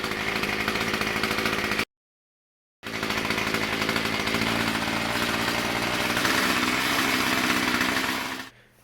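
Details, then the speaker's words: Murray M2500 two-stroke string trimmer, curb find, first start: steady, even buzzing run with a fast regular firing beat and no misses or knocks; started first pull and runs healthy. "well you're not going to believe it but uh she fired up on the like first pole it was supposed to"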